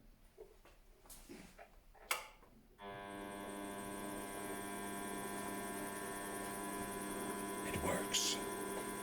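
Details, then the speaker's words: Optimum TU 2004v mini lathe after stripdown and rebuild: following handling clatter, the motor spins up to a steady hum with a clean whine at low spindle speed, about 150–240 rpm on the readout; much quieter than expected, running smoothly. "it's much quieter than i thought it would be much quieter that's spinning away nicely"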